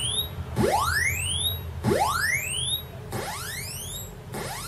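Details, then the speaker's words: Commodore 64 SID sound chip after chip swap, tested with sidbench: clean rising filter sweeps every ~1.3 s, clear and strong, no fading into noise as before; filter now works properly. "that's a lot clearer and that sweeps in which that wasn't happening before"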